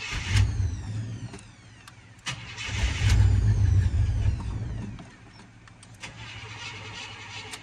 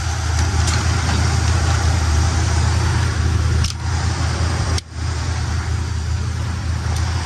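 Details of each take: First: 1972 Buick Skylark, hard to start: long bursts of steady cranking with brief sputters that never catch, until gas is poured into the top of the carburetor to prime it; fuel starvation. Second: 1972 Buick Skylark left running to warm up after the carb was primed with gas: deep, smooth, even idle with a steady low rumble and no knocks or misses; healthy.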